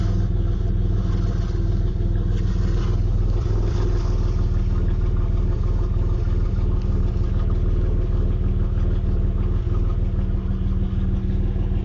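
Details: 1992 Camaro RS V6, stock, 147,000 miles, with a dry-rotted hose, a slight exhaust leak and low idle, recorded on a cell phone. A deep, lumpy idle with an uneven pulse around three a second and slight puffing: rough running, possibly a vacuum or exhaust leak.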